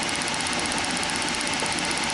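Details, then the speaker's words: Ignition at 1,200 rpm engine speed, supply lowered from 12 V: fast even spark ticking with steady hiss, thin and faint; no change at 10 V, spark fading from 7 V, gone at 4 V. "so I'm going to creep it down until she starts to go bad so that's 10 Vols no difference 8 Vols seven starting to fade"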